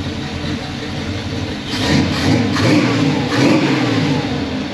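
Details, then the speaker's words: 1978 Pontiac Formula Firebird 350 V8, after fitting a 600 CFM Edelbrock carburetor in place of the Holley: crisp blips rising and falling cleanly from steady idle, snappy response, good condensation. Normal running. "so Snappy lots of really good condensation which we weren't hardly having before and that just tells you you know condensation is a sign of a healthy motor"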